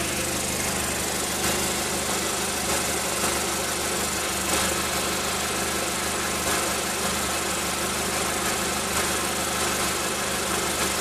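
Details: Exhaust rattle at idle on a 36°C day: steady petrol idle with a tinny, buzzing rattle and faint irregular taps from the cat area of a Milltek exhaust.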